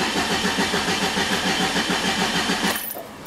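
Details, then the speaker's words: 2003 Ford Escort ZX2 2.0 cranking at an even rhythm without firing. There is no spark and the tach does not move while cranking, so there is no crank signal; a failed crankshaft position sensor (VRS type) is the cause. "tack does not move so the next direction we're going is toward the crank sensor"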